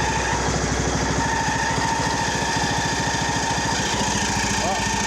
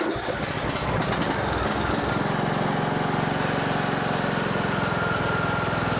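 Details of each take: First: Poulan Pro 185A42LT riding mower during refurb, idling with mower belt off and some oil burning off: small single thumping with a thin steady squeak; suspected drive belt at first, then thought to be the muffler squeaking. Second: Poulan Pro 185A42LT riding mower engine during resale refurb, started on choke with shrouds refitted for cooling: catches within two seconds, settles to smooth, even, quiet idle; normal idle.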